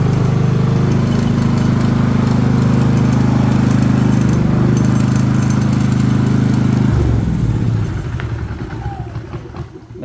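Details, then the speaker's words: Harbor Freight Predator generator that ran badly and made little power, now running with the muffler spark arrester removed: loud, steady, even engine drone with no surging or misses, then winds down at shutdown; normal running after fix. "you go purr's like a kitten now so there you have it generator runs perfectly like it should"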